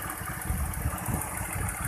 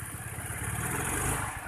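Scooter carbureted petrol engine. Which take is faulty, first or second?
second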